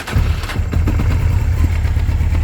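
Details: 1996 Honda 900RR Fireblade, 919cc carbureted inline four, cold start on choke after sitting, no battery tender for two to three months: fires right away and holds a firm, even low burble without stumbling. A healthy cold start.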